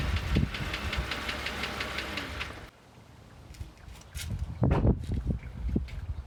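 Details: 2008 Jeep Wrangler JK idling on cold start in the morning with a steady sharp ticking about five clicks a second over a low rumble; persists after oil and filter change; cause unknown.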